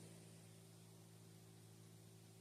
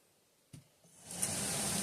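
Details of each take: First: RV roof vent after swapping the stock fan for a quiet PC fan: faint steady hum with a soft even whoosh, no ticking or rubbing; about 55–56 dB versus 76–80 dB for the old fan, much quieter. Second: Stock RV roof vent fan, unducted, with an old-style low-tech motor: a click, then rising hiss settling into a loud steady whoosh with low hum; noisy original fan, later replaced with a quiet PC fan.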